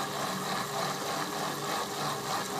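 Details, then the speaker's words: Workshop central heating circulating pump on speed 1, small circuit, refilled with fresh water and leak sealer: constant rushing, gurgling hiss over a low hum; owner suspects air, cause unconfirmed. "now that could be just the fact that I've put quite a lot of fresh water into it although I've put the old water back in again to maintain the uh the leak sealer it could be air"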